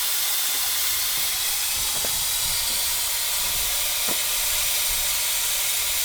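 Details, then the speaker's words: 1970 Ford Mustang V8 running straight water, hot restart, about 215 at the thermostat housing against 160–180 elsewhere; loud steady hiss of escaping steam with faint ticks underneath as coolant boils over; owner suspects the thermostat housing and plans to pull the thermostat. "Something is causing an issue right there at the housing. It was like at 215 right then, but everywhere else is like 160, 170, 180."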